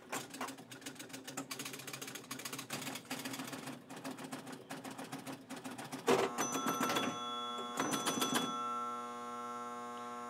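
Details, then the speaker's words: Gottlieb High Score electromechanical pinball machine at game start: relays chatter irregularly, then a steady mains hum settles in from a relay coil stuck energised (locked on). "that that is a that's a coil that's locked on um and that's not a good thing you don't usually want a coil stuck on like that"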